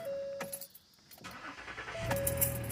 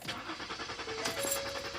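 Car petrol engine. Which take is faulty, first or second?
second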